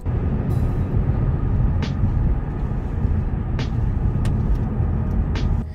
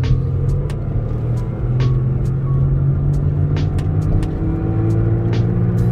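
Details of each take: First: this clip i'm playing right now is after the wheel bearing has been replaced and you'll notice it is much quieter Second: Car driving and accelerating: steady low hum growing louder and rising slightly with speed, the telltale sign of a bad wheel bearing.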